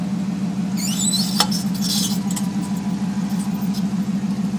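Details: 2003 Dodge Ram 1500 5.7L Hemi. High chirping squeaks from the front wheel area over a low steady truck hum, loudest early, then fading to faint chirps. Rotors were checked and are smooth. Cause unknown.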